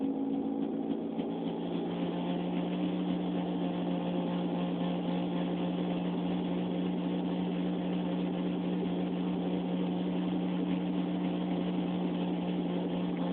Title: weird noise from my car